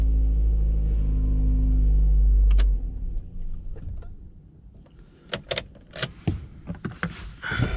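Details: Honda Civic MkVIII engine started after an instrument cluster replacement: smooth, even low rumble for a few seconds before being switched off; normal, healthy idle.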